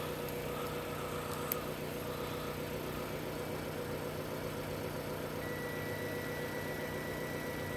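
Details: Four-cylinder engine idling during 40 amp fuse-kit test: quiet, steady soft hum, no ticking or stumbling; healthy normal idle.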